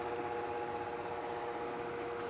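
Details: Office electric fan about 25–30 years old, after a capacitor replacement: quiet, steady mid-pitched hum with no wobble, rattle or drop in speed; the motor runs smoothly.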